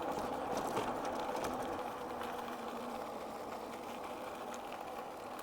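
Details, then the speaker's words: Favoto Flurry 2.0 26x4 fat-tire ebike on its first ride after rain: rhythmic soft rubbing about four times a second that follows wheel speed; the rider suspects a leaf caught between the tire and fender. "Okay, I got a weird noise. What was that noise? Did we just get a leaf inside of the tire and the fender?"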